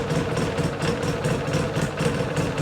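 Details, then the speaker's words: 2006 Polaris Sportsman 800 EFI, warm idle: fires right up, steady even smooth thrum with regular firing pulses, idle about 1150 rpm, within spec (±100); sounds normal. "Fires right up. Sounds pretty good. Sounds like a normal 800 Polaris. Idled down a little bit, it seems."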